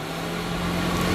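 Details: Off-road utility vehicle after adding relay-controlled accessory fuse panel, all accessories on, about 7 amps total draw; steady even rush of air with low hum holding pitch; heater blower running normally on high.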